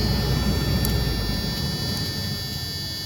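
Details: 2001 Tiffin Allegro Bus 35IP motorhome dash blower after troubleshooting 12-volt dash faults: steady rushing airflow and low hum with faint clicks, cycling through speeds up to high. It is running normally.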